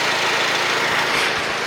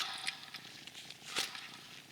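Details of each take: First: 2004-2008 Acura TSX at idle just after a new alternator replaced one with bad, screaming bearings that was still charging: steady, even hum with a smooth hiss and no whine or grinding; healthy idle. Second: Removed alternator from a 2004-2008 Acura TSX/Honda Accord, still charging but failed; a dry gritty rasp as it is turned by hand, its bearings are shot.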